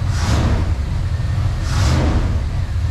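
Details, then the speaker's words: 1994 Chevy Silverado 1500 V8 with a rebuilt throttle body, revved on first start after 10+ years sitting: deep, even rumble with two clean throttle blips, no knocking or tapping; engine sounds healthy despite known vacuum leaks. "i haven't heard this truck run in 20 plus years and no knocking no nothing"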